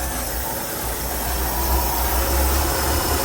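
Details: 1985 Ford F-150 engine idling after the block was degreased and cleaned: steady, even low rumble with no knocks, misses or stumbles, sounding healthy.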